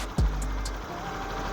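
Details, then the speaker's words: Honda New CB150R single cylinder after workshop repair of a bodged balancer weld and off-centre magneto that made it crank heavily; kick-started, just restarted: even, low, steady idle with no knocking or rattle. Normal idle. "halus ya udah oke"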